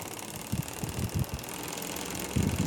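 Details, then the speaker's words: Household electric fan with out-of-balance blades, heard before the blades were balanced: uneven throbbing thumps about three per second over a soft fan hum. The unbalanced blades shake the shaft and cause the vibration. "entonces ese tema de el desbalance de las actas es un problema que puede darse y nos va a generar ese tipo de inconvenientes de vibración en el en el eje y en las aspas"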